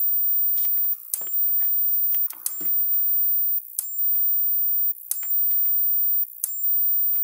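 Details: Kencove KF13000 electric fence energizer after board repair: sharp, even ticks about every 1.3 seconds in a quiet room; steady regular pulse, working properly.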